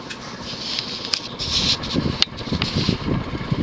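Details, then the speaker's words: 1988 Hunter Embassy 42-inch ceiling fan, model 25644, 172x12mm motor, on high speed around 240-250 rpm: steady airy whoosh with a rough rumble from ridiculously loud worn bearings, though not hissing. "those bearings are ridiculously loud at least they're not hissing"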